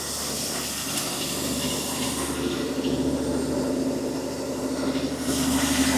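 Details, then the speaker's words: Rebuilt 1984 Ford F150 300 inline-six, first start, fresh carb, revved up toward 2,000 rpm for cam break-in; steady even fast idle with constant drone, no knocks or misses. The truck later got hot; cause unknown. "So now I'm going to turn up Turn this up pretty good. Hopefully I can get it at two grand."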